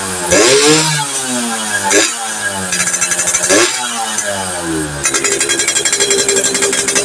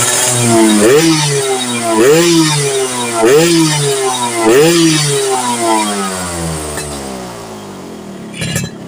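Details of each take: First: Yamaha FIZ R two-stroke with standard plug fitted, after checks for a lower-end compression leak and the coil: revs rise and fall unevenly with sharp pops and stumbles; still explodes on throttle, and the pulser is suspected next. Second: Yamaha F1ZR two-stroke after stator coil work to cure popping under throttle: crisp revs rise and fall cleanly in repeated blips, then settle to a quieter idle with no popping; running right.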